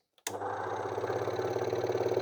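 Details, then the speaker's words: Vintage air pump switchable 12 V DC or AC, run on AC via appliance tester, hoses likely hardened: motor clicks on to low mains hum with slow labored pulsing, sluggish at startup, gradually speeding up as it warms. "yeah well it runs sounded pretty sluggish I don't know where the actual air comes out so actually getting faster as it warms up"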